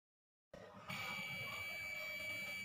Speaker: तो दोस्तों आप देख सकते हैं कि यहाँ से आवाज़ आ रही है, यानी कि ये वाली वायर हमारी ठीक है।